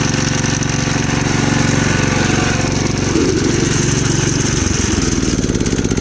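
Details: Gravely Commercial 12 34" Snow Cannon snowblower, cold start after about a month unused, on choke: chatters at about four beats a second, then stumbles and sags midway, surging; owner suspects fuel or ice in the carb bowl.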